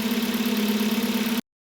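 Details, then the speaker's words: Hyundai Solaris 1.6 G4FC manual on LPG, 443,000 km, after repair for oil consumption and piston knock, heard from outside while warming up: smooth even idle, steady pulse, no knocking or tapping; engine healthy. "тихо никаких шумов бяков стуков чеков нет"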